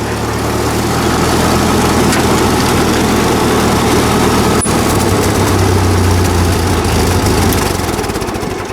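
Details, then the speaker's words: 1944 Ford 2N tractor with Chinese copy Ford carburetor, after brake work: steady, even low putter about three and a half beats a second, no misses, knocks or surging; runs well, though governor still needs replacing. "Seems to run pretty good for the old Chinese trying to copy Ford carburetor. Seems to run pretty good."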